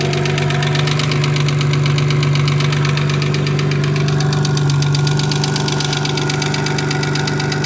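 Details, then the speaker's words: Audi S4 2.7 bi-turbo engine in a Porsche Boxster, first cold start in months: idle with a quick, regular ticking about two to three per second on top of the engine, a collapsed lifter. "So I'm just going to do a cold start so you can hear the lifter now."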